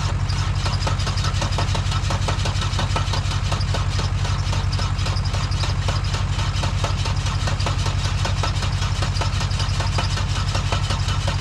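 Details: Dodge Caravan engine run on water instead of oil, third restart attempt with ether. The starter churns in heavy, even pulses of about two per second, slowing and tightening as it is held. The engine is seizing and does not fire.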